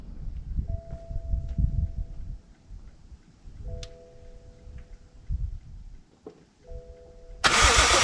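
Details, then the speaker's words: BMW F21 M135i, first start after refitting the ZF 8-speed xDrive gearbox and correcting torque converter seating: starter cranks in uneven bursts with chimes, never catches, no fuel pump hum; owner suspects no fuel, fuel pump silent though it worked before; 64 fault codes stored. "so as we've heard still no luck uh I think we're not getting fuel I don't hear the fuel pump working"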